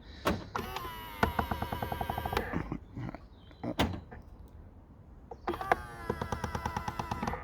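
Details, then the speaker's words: Skoda Octavia Mk3.5 power-folding wing mirror folding and unfolding on lock/unlock makes a fast, even buzzing-clicking chatter over the motor hum. It comes from the sprung part, not the gear mechanism: a stick-slip spring. "clicking sound um first glance you might think it's uh like a part of the gear mechanism or something and i've actually found out it's not it's as part of the uh of like a sprung bit"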